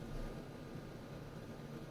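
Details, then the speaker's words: Lasko WeatherShield box fan with thermostat, bought 2017, switched off from high speed and coasting down: quiet soft whoosh with low hum, no rubbing or ticking; healthy normal spin-down. "All right, here's off with a spin down time. Very nice."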